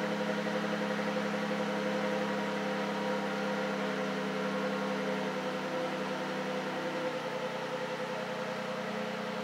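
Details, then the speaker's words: V6 Charger idling after fitting a homemade true cold air intake tube: even steady idle with pronounced intake hum, louder with the tube, no hiss, miss or knock, no check engine lights; normal idle. "definitely louder with that tube on there let the car calm down a bit all right let's go check it out sounds good no hissing"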